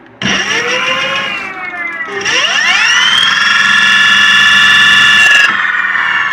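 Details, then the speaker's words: Electric motor on a controller, running in reverse (60 motor reconditioned for 120): whine sweeps up into a steady high tone with a harsh, abnormal background noise; suspected wrong winding connection. "hay un detalle en conexión vamos a corroborarlo en reversa y se escucha un ruido de fondo bastante esto cómo lo digo yo eh anormal es bastante notorio"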